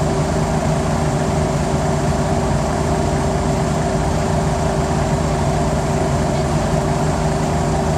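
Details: Mercedes-Benz O405G Hispano Habit articulated bus, TIB1108A on route 188: a steady, deep diesel rumble with an odd constant mid-pitched hum on top that does not follow speed. Abnormal engine noise, cause unclear.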